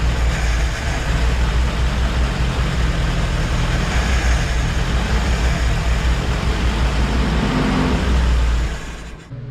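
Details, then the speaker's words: 1948 Willys CJ2A first start in over 20 years, new distributor points: steady low four-cylinder rumble that runs only while fuel is poured into the carburetor, then dies; no fuel reaching the filter/pump, fuel pump suspected bad. "you can see in the previous clip the Jeep runs uh we were filling it uh through the carburetor with fuel that was the only way to get it running and to stay running"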